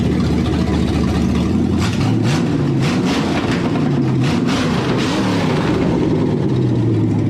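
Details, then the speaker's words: V8 that had not run in years and first would not idle (suspected vacuum leak): deep, even burble with light throttle blips, healthy after a valve cover hitting the passenger-side rocker was dented clear. "Oh, she sounds happy, buddy. It's running really good now."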